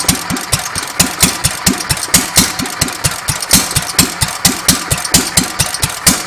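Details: Petter A1 stationary engine after timing setup, running without exhaust: sharp, evenly spaced open-exhaust cracks at a steady beat, no misfires or rattles; running quite well.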